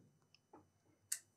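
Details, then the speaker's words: Bench power supply at 20 V, about five amps limit, clicking sharply and unevenly in overcurrent hiccup mode while powering a faulty Asus GL703G gaming laptop board that will not power up. "so the power supply is clicking now we don't have we we cannot power up this one so I have like five amps and the fourth place clicking"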